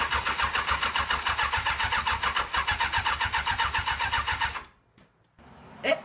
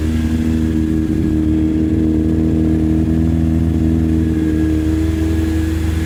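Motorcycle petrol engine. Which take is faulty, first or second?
first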